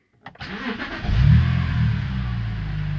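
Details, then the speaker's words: BMW that started then died, fixed: short crank, then the engine catches and settles into a steady, even idle without stumbling or dying, no limp mode; runs normally. "problem is fixed if this works for you guys please comment no limp modes or anything god just runs fine now so comment below"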